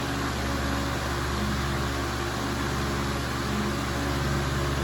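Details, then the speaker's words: Fan at medium speed: steady hum with a rough, buzzy rumble and heavy vibration felt and heard through the table. "There's definitely some heavy vibration. I can hear it in the table and I can definitely feel it,"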